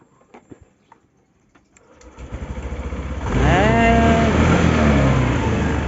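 A few quiet clicks, then a brief rhythmic crank before the engine catches cleanly and settles into a steady, even idle.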